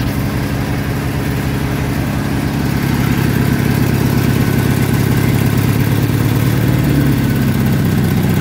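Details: Massey Harris Pony with an 18hp Briggs opposed twin, with temporary wiring. A steady, even twin-cylinder beat at constant speed, no knocks, misses or rattles. Normal running; only small adjustments remain.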